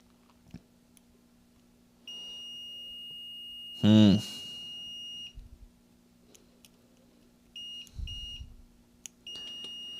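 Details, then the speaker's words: Switch mode power supply repair, power transistor checked in continuity mode after odd noises at 60 V DC: steady high-pitched meter beep for about three seconds; transistor shorted right through. "I mean just shorted right the way through"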